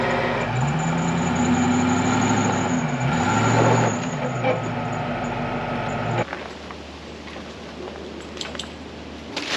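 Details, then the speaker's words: 1995 Range Rover Classic 4.6 V8 after a new oil pump gear, primed with Vaseline because prime was thought lost: even V8 burble settling to a steady idle, no knock or tick, oil pressure looks restored; normal running. "now we're all primed up lubed up good to go Vaseline in there but I'm happy to see this guy back going"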